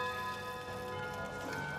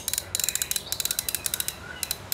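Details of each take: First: Antique mechanical clock: bell tune plays on with no pause, starting around minute 55 instead of 60; broken stop pin in the chime gear keeps the tune running nonstop. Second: Antique chiming clock after repair of a broken hook/pin that made the chime run nonstop: at 55 minutes the train runs briefly for the warning lift, then at 60 the lever drops and it chimes. Light ratchet clicking and gear whirr; now correct.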